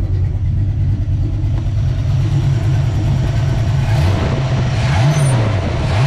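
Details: Small-block Ford 306, GT40P heads, Anderson N41 cam, Holley double pumper: deep loping idle with a couple of quick blips near the end, during idle mixture tuning; normal cammed idle.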